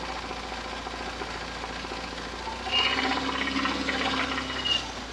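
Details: UZAM 412 engine before repair: quick, steady knock rising with revs; teardown found broken connecting rod bearings, worn piston rings, crankshaft end play and a water pump near seizing, all replaced.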